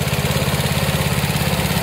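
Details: Old Snapper rear-engine rider, 28-inch deck, 10 hp Briggs & Stratton with newer carburetor: steady, even low thumping with constant beat, no misses or knocks; runs well.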